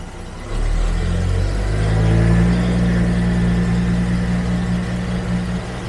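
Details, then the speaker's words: 1974 Jaguar XJ12 Series 2 carbureted V12, sat six years, previously on 7 cylinders; carbs still needing adjustment; deep smooth revs with no stumble, now firing on all 12 cylinders. "Still have to do a lot of things with the carbs, but at least we're firing on all 12 cylinders now."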